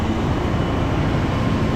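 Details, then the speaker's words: 1966 Ford Thunderbird 390 big-block V8 with points ignition, revived after sitting dead for a year: deep, even running rumble with no knocks, misses or dips. "all right in here running I've been dead for a year I know it's not a massive Revival but for the price I paid for this car I don't care"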